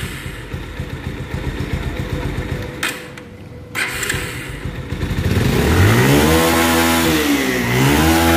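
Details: Bajaj Pulsar 150 BS4 motorcycle after balancer fix for engine whirring/ticking noise: blips from idle to a clean rising rev and back, tone even, no knock or rattle; normal engine revving.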